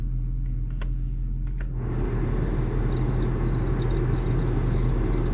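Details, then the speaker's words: Jaguar XJS straight six (3.6 or 4.0) bought at auction as a project, engine idling as the cabin blower fan is switched on. A rush of air with a faint intermittent high squeal from the fan motor; squealing blower fan. "working it's squealing a bit"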